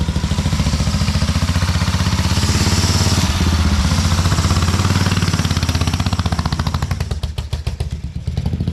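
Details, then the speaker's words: 1950 BSA B33 single after rebuild and first start, trying to pull forward: steady thumping beat, revs rise and sag without pulling away, sliding on the clutch plate; worn clutch slipping, owner thinks it needs replacing. "you can hear it sliding on the clutch plate it's not grabbing on very good"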